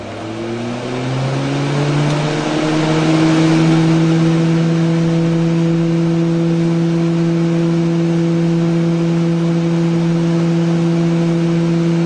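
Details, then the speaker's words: Retrotec fan run from a Q46 gauge (configuration range B), set manually to 40% speed toward a test pressure: the fan hum climbs in pitch, then settles into a smooth, steady tone. Running normally. "So we're going to hit set speed, 40, enter. You hear the fan starting up."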